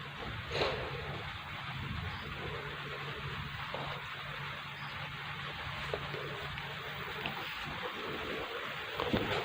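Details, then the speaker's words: Polytron Slim CRT TV after the power board was replaced. It had a picture but a crackling, ticking noise went straight to the speaker. It now powers up quietly with only soft hiss and low hum, no crackle and no noise from the FBT. The fault is fixed. "Suara halus tanpa ada suara apapun dari speaker ini. Bisa dipastikan TV ini sembuh ya."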